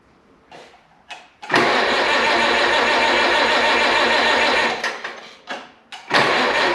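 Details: 1951 Farmall Cub tractor after a carburetor clean, rewiring and refitting the fuel tank: it catches after a short crank, runs steady and even, is shut off with the new kill switch, then fires straight back up; healthy start and idle.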